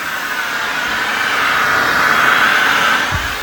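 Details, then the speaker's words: AirVac AV3500 central vacuum, about 23 years old, on bare floor after being unclogged: strong steady rushing air with a faint whistle, no choking or surging. Normal suction airflow. "I was so happy the first time I un clogged this thing to actually hear the vacuum running and hear this sound"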